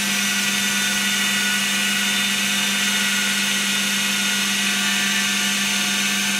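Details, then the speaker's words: Second-prototype 2x72 belt grinder with gas-piston tensioner, running at half speed: smooth steady motor hum and belt hiss, no knocks or scraping, belt tracking well; normal running. "Running up to half speed. Tracking is really nice."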